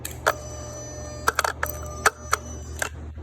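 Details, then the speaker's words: Another owner's 5.7 Hemi PCM (from an 05 Durango), bench-wired to a known-good swap harness with switch and battery, heard at the throttle body at key-on: a quick cluster of ticks and short buzzes as the plate sweeps, then quiet; normal handshake. "So hitting the switch, put you by the throttle body so you can hear it, maybe see it."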